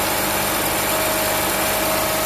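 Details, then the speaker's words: 2006–2009 Honda Civic Hybrid with 185,000 miles, idling just after a serpentine belt replacement. Steady, even idle with a faint constant whine and no squeal, chirp or slap from the belt; the auto tensioner still works and the engine sounds healthy. "Let's start this thing up. Yay, that sounds good. That sounds good."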